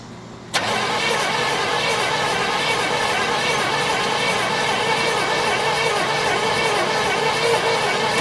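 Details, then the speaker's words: 1972 Chevelle Malibu, original small block with automatic, not run in 15 years: after starter fluid, about eight seconds of steady, even starter churn with no firing. Cranks but won't start. "let's see what happens well it did sputter a little bit so that's good give it a little bit more give it some"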